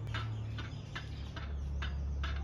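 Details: Folding bicycle handlebar twisted: short dry creaks about twice a second from stem parts rubbing metal on metal; tightening didn't help, inner-tube rubber pieces fixed it.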